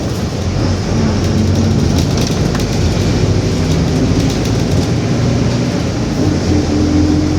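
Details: 2021 Marcopolo Torino S bus on Mercedes-Benz OF-1721 BlueTec 5 chassis, urban service, while driving: steady low roar under road rumble with a faint humming tone climbing near the end; differential growling.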